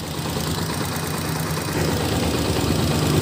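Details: Honda TMX 125 series 1 (2015–2016, about 7–8 years old), cold start by kick, fast light ticking about four a second over the idle, loud even when cold; suspected valve tick from excessive valve clearance after camshaft O-ring replacement, clearance to be checked.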